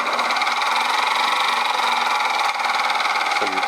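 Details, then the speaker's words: Milling machine running steady with a fine, fast rattle over the gear whine inside the gearbox; source not yet found, mill to be stripped down to locate it. "yeah I don't know if you heard that but there's a rattle coming from inside the gearbox of the mill so I'm got to have to strip that down"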